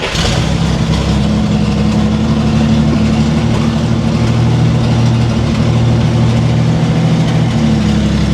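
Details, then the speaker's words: 1964 Chevrolet Corvair barn find, first drive after revival, with no brakes. The engine holds a steady, even low note as the car creeps off in first, with no judder, clunk or grinding; the clutch engages smoothly and reverse doesn't grind. "Clutch feels nice and smooth, actually. Let's try reverse. No grinding of the gears."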